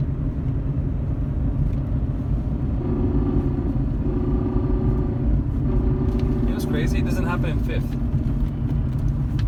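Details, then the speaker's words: BMW E39 M5 being rebuilt, cruising in fifth gear; owner had noticed a transmission rattle: steady low drivetrain rumble with no rattle or clatter in this gear; normal transmission in fifth gear. "that's a fifth gear now"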